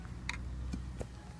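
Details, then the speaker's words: Laptop stuck at Intel boot agent, operating system not found: three sharp irregular clicks over a low hum from the hard drive area, suspected failing hard drive. "to me a test failure operating system not found and you can hear by the clicking that the hard drives kind of [ __ ]"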